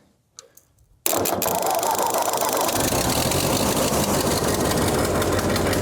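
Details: 1948 Ford 8N tractor with a fairly new carburetor, due for its annual tune-up; viewers suggested a new carb. It catches after a second of silence and settles into a slightly uneven idle with a loose rhythmic patter. Possibly fuel mixture trouble.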